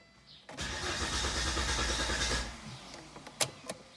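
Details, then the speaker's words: 2000 Volvo S70 five-cylinder with suspected fuel relay trouble: fuel pump briefly heard, then the starter churns steadily at about three and a half turns a second for two seconds and dies away without catching. Cranks but will not start. "Okay, so I just heard the fuel pump kick on a little bit. Give it a couple seconds. There we go. Oh, almost."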